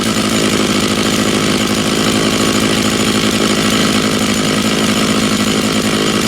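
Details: Stihl MS660 chainsaw after clutch repair, cutting a log, possibly ash, chain fairly sharp: strong steady full-throttle roar holding under load, no rattle or slipping; saw and clutch healthy, normal cutting.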